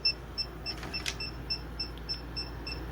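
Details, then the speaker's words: Foxtheon iGo3600 portable power station running an air conditioner at about 467 W for nearly five and a half hours; high double-toned chirps about three a second over faint hum, low battery warning at 14 percent. "all right fortunately the unit gave me a warning the beeping as you can hear it's at 14 percent"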